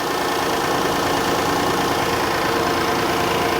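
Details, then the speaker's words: 2017 Kia Sedona with 3.3L V6 replacement engine (original spun a rod bearing), 151,000 on the odometer, on the lift bleeding power steering: steady, even idle, no power steering pump whine, no knocks or misses; normal idle. "And I don't hear the power steering pump whining at all. So that's gonna get this thing running, keep it running, let it burp out any any bubbles."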